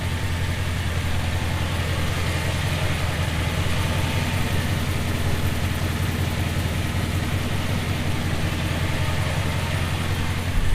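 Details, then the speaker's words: 1970 Plymouth Fury III convertible, 318 small-block V8 with 904 automatic, running after new spark plugs with the air cleaner refitted; one bank slightly smoky. Deep, steady burble with an even beat, no misses, ticks or knocks. Normal healthy idle. "it's a very very healthy small block"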